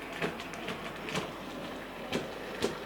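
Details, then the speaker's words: Sir Walter Scott model locomotive running slowly forward and back: sharp clunks about twice a second over a light running whirr, repeating with wheel rotation, caused by a split axle gear. "good morning drop it there can you hear that clunking noise stop it there and back"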